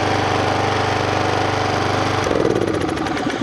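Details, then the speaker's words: Troy-Bilt Professional pressure washer after the repair, quiet-design large muffler: fairly smooth, muffled single-cylinder putter, no knocking or rattle. Healthy running. "Wow listen how good it sounds first is like a kitten then it's not very loud actually it does have a sticker on it it says a quiet quiet design large muffler to reduce noise that is awesome"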